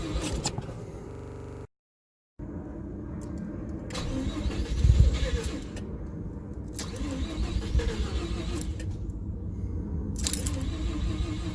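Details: Mazda RX-7 FC3S: starter spins the engine steadily at about four pulses a second but it never fires or catches; crank-no-start, cause unknown.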